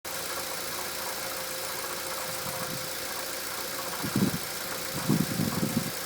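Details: Bone-stock Mitsubishi Evo X MR, noise starting around 300 miles, heard from the cabin at idle and when accelerating: steady engine hum with a faint whine, broken by a few heavy low knocks.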